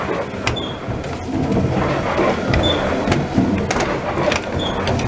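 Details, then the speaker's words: La Motte watermill running after the pit-wheel was moved away from the pinion and a new neck-bearing was fitted: uneven wooden clatter of two to three knocks per second from worn lantern pinion rungs and cogs meshing poorly; both are due for replacement, though the meshing is improving. "The gears are not meshing well, but they're getting better all the time. Really, we want to replace all these rungs and all the cogs."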